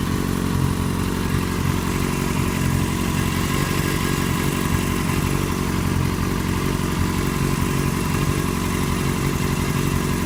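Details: 2008 Yamaha FZ6 with 49,000 km held at 2,000 rpm, after sitting off for a few hours: steady mid-rev engine note with irregular clattery tapping on top; abnormal engine noise, cause unknown.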